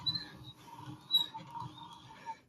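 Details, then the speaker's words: Hand drill boring into brick with a plain bit gives thin, irregular high squeaks and creaks: the bit has gone dull and rubs instead of cutting, only about 1.5 cm in. "The drill bit was creaking. That's it, it's dull."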